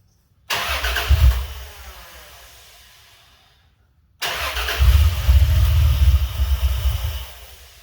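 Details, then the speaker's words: Swapped Dodge 3.7 V6 in a truck, first crank after reinstall with a new reluctor ring to fix a no-start; relay then put back in. A click, then strong even starter churn with the engine nearly firing: healthy cranking. "Okay, well, she wants to run, so Guess I can put the relay back in."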